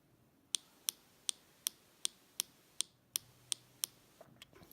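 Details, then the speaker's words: MacBook Pro Touch Bar keyboard: ten sharp, crisp key clicks, harsher than normal; owner suspects thermal expansion misaligning keycaps, sound changes when pressed below the key top. "basically it's just if thermal expansion happens and the keycaps misalign or do something then I will get weird sound like this"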